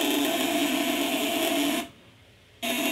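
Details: 8-ons 12V contact-breaker inverter with 20 µF capacitors, on the 200 W setting: steady mid-pitched electrical buzz dropping out briefly and returning unchanged, even and clean, lighter than at higher settings; healthy inverter on light load.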